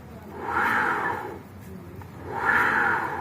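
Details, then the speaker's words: Honda Vario Techno CVT, pulley fitted without the bell and rear wheel spun by hand: gritty mid-pitched whirring grind in rising and fading bursts, confirming the whine comes from the worn pulley housing bearing. "ini berarti kita bisa pastikan gejala ngiung dan ngerosoknya berada di bagian bearing rumah puli ini ya."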